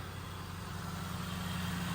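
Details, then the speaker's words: Hail-damaged, bone-stock Ford Shelby GT500 supercharged V8 on first start: fires right up and idles with a deep, even burble, no knocks, ticks or whine. "dude it sounds beautiful oh my God it's bone stock too"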